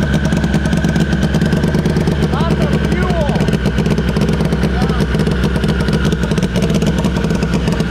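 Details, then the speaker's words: SHO'NUFF race car, first start through a hard-wired PDM, engine completely cold, air-fuel at 12: loud, choppy idle with an uneven beat dropping pulses; misfire, stuck injector suspected, not confirmed. "i almost wonder if one of our injectors is stuck how much fuel's in here yeah just sounds like a misfire in here yeah the air fuels at 12."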